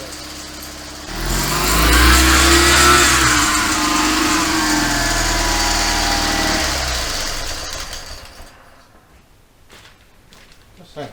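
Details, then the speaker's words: 1972 Invacar Model 70 engine revving with a loose slapping belt rattle as the belts slop around; the 27 mm main crankshaft pulley bolt was found loose, and tightening it made a clear difference. "i'm gonna see if i can tighten up this 27 mil bolt a bit more because that sounds terrible yeah the main pulley bolt was a bit loose i might explain the noise"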